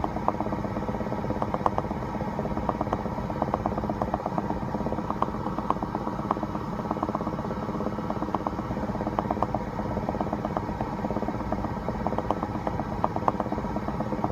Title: 2016 BMW X5 F15 bubbling/popping noise Part 2